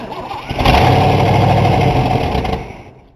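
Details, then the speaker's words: 1960 Cadillac start after brake work and new ignition key: after priming, it cranks, catches briefly, then fades and dies within seconds as it runs nearly out of gas; hard start from fuel starvation. "right it's getting there the gas is almost up to it man them almost out of gas there we go had just enough gas to do it"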